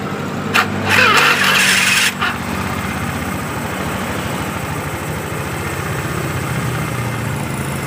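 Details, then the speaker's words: 2013 Honda Beat FI that had died with no spark, fitted with a swapped ECU (K25/K46 codes). It starts at once with a brief starter whirr and settles to a steady even idle, proving the original ECU was faulty. "dan kalian bisa lihat dan dengarkan Ini motor langsung hidup berarti penyakitnya ada di bagian sini nih Ecu ini ecunya sudah rusak"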